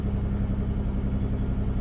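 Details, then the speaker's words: Engine first started after replacing the head gaskets and lower intake gaskets following coolant loss and smoke. Steady low idle with an uneven, wavering beat; still shaky, with some smoke from the back. Rough idle, cause not yet confirmed. "Ooh, and there she goes. Still sounds a little shaky,"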